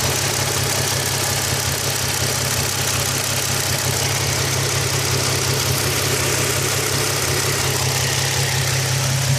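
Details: Nissan 350Z idling: fast, light ticking from the top of the engine over the low hum, rising and falling with revs; cause unknown.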